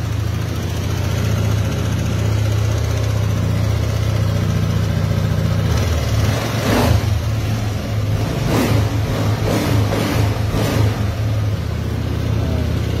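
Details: 2018 Yamaha Aerox version 1 scooter after ECU repair: steady even idle with a few quick throttle blips that pick up cleanly and settle back. Normal running.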